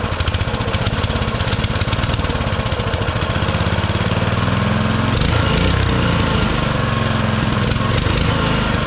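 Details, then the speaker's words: Baja Motorsports Baja Warrior mini bike, single-cylinder, on choke: a rapid, slightly uneven popping beat that wavers; even after off-camera adjustment it won't idle off choke, so the carburetor was then replaced. "I mess with this a few times off camera trying to get it to idle better uh and I just can't get it to idle off of Choke so that tells me that uh I need to dig into this again"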